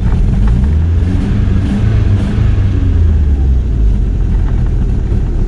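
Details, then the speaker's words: 1986 VW Golf 2 with a 1.8 GX 90 hp engine, after about ten minutes of running: a deep, lumpy, chugging idle like a tractor that misses and shakes. A rough idle. "ну так смотрите уже минут десять он работает это этого было так что если газ даешь из газа резко ухудшил сразу глохну всегда глохнут"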